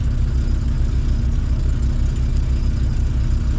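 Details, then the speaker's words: A-reg Vauxhall Nova 1.6 injection four-cylinder, finally running properly: deep, even idle with a steady low throb, no stumbles or surging. Normal idle. "it's finally running properly"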